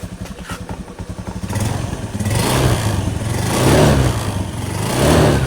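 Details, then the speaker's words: Scooter after repairing the worn CVT roller housing bushing, idling then revved: even putter rising into smooth revs and back with no rattle; CVT now nearly silent, normal. "Oke, demikian kawan-kawan ya. Sudah sangat senyap ini. Nyaris tidak ada bunyi."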